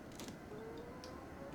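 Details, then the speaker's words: Olympus TG5 waterproof compact camera, untested used unit: quiet whirring whine rising and falling in pitch during zoom; zoom motor noisier than normal even for TG series, could be audible in video while zooming. "Oh, it is working. Very noisy, you hear that? Common, I'm not going to say issue, because even out of the box with brand new Olympuses in the TG series, this is just something that I hear. This is actually a little more noisy than normal though."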